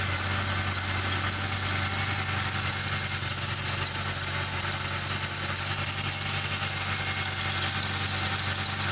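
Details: Idling engine, belt system shown: steady high-pitched squeal over a quiet idle with a chirp repeating almost twice a second; belt-area squeal and chirp from the accessory belt drive.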